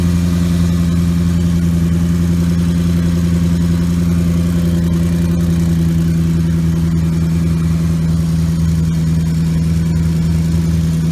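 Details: 2014 Maserati GranTurismo, engine completely cold after sitting overnight: smooth, steady low idle with an even hum and no tapping, whine or rattle. The transmission-area noise appears only when warm.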